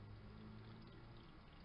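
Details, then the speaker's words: Small Chinese-made ice maker after cleaning water sensor screw and stainless plate: soft steady water trickle and spray over low pump hum during timed fill, tray overflow returns to reservoir, normal fill. "now it will'll take water on a timer and the tray will overflow but the water runs back into the tray again"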